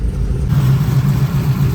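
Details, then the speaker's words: LSA-powered GTO V8 at idle in closed loop after tuning; the IAC motor that screamed the day before is now quiet. Deep, even idle with a steady low rumble and light valve-train chatter now audible: a normal idle. "Now we can actually hear valve train noise. It's quiet enough that we can actually hear the engine. So that's definitely a good thing. Car seems to be idling pretty happy."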